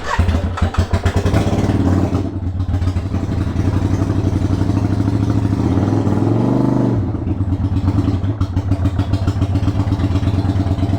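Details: 1993 Yamaha Virago XV535 V-twin just after new spark plugs, started a little cold with choke, in neutral: stumbles and chuffs unevenly at idle, missing beats and hunting before settling; runs rough, owner thinks he made a mistake.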